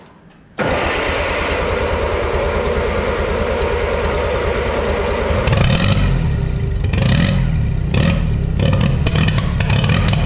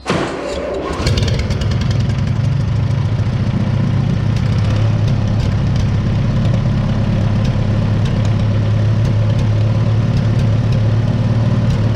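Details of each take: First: 1955 Oliver OC3 Cletrac crawler tractor, sat 20+ years, fitted with a Farmall M IH distributor and temporary coil: engine bursts into life then runs lumpy, surging and sputtering; timing judged way off and carburetor float stuck, carb must come off. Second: 1955 Oliver OC3 Cletrac crawler, sat 20+ years, IH Farmall M distributor fitted, new coil, new carb float, timing advanced, about 20° outside: catches after brief crank, settles into steady even low rumble; normal idle.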